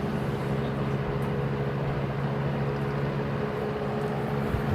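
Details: GE W-25 electric fan, reassembled with its plastic blade after maintenance and a new cord: a steady low hum with a constant airy rush and no knocking or scraping. The fan runs smoothly and sounds healthy.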